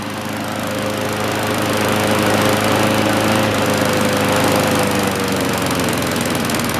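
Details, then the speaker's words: 1960-70s John Deere push mower saved from scrap, single-cylinder engine just started before an oil change: steady even pace with a crisp regular beat and no misses; healthy running. "awesome we're gonna let it run for a while then we'll change the"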